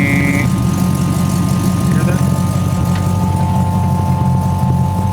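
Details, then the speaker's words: 1940 Ford Sedan Deluxe idling with an electric fuel pump and pressure regulator: a thin, steady, unchanging whine over a low, even idle is the annoying fuel pump; owner plans to fit a mechanical fuel pump. "you can still hear that humming noise. That's the damn fuel pump. We're gonna fix that."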